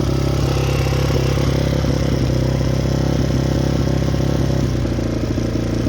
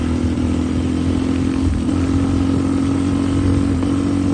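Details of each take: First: Yamaha Raptor 660 ATV, freshly rebuilt engine, smoking: rough uneven single-cylinder running around four beats a second, never climbing to clean high revs; will not rev out, suspected safety switch or re-jetting problem. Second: Yamaha Raptor 660 ATV, fresh engine, started by jumping the solenoid since the key switch is bad: steady even single-cylinder idle with low thump and constant drone, no knocks or misses; normal idle, needs a little tuning.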